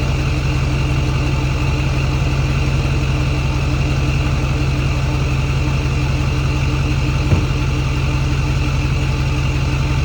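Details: Ford F-350 Super Duty 6.4 Powerstroke diesel with new billet-wheel turbos after turbo seal fix, idle slightly raised: steady diesel clatter with faint even turbo whistle; normal, healthy turbos.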